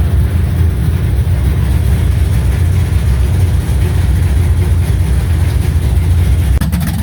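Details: 1970 Chevy C10 350 with stock cam, Vortec heads, Holley 650, HEI, on open headers, warming up to temperature to burp cooling system: deep, loud, steady even V8 rumble, no knocks or stumbles; normal idle.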